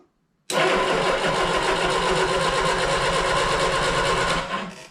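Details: 1971 Triumph Spitfire MK III 4-cylinder, unstarted for 14 years, coil jumped with a hot wire: about four seconds of steady, even starter churning that never catches or fires; it cranks but won't start.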